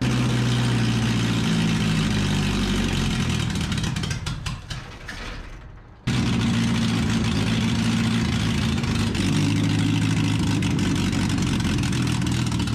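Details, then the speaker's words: 1981 minitruck, unmuffled, after swapping on a big two-barrel carburetor: the engine revs up, sags almost to stalling, then picks back up. Surging idle; the owner suspects the carburetor. "y'all can hear how she's running right she goes up almost dies and she'll take it back up"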